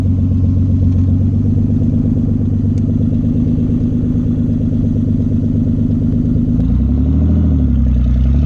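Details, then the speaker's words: Nissan 300ZX back running: loud, steady engine with an even beat and deep exhaust rumble, pitch easing near the end. No misfire at this moment, though an intermittent putt-putt sound, possibly another misfire, occurs at other times. "now it's loud as hell but it sounds good sounds healthy at least take"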